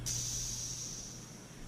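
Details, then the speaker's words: Modified 372 chainsaw being rebuilt after it died and failed pressure and vacuum tests (torn intake boot found), engine not running: faint thin hiss fading as pressure bleeds off; air leak at the decompression valve. "You can hear a little bit out of the decompression valve."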